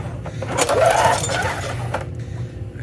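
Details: 1998 Murray 20506X8A push mower, auction find, oil fine: single cord pull turns engine over briefly with no firing; cranks but won't start, kill switch wiring suspected.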